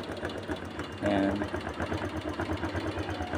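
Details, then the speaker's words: Honda Click 125 version 2 fuel-injected scooter idling steadily with even quick putter after starting; no-start was caused by a dirty, soaking-wet spark plug, to be replaced with new. "Ayun umandar siya guys oh yan umaandar na siya guys"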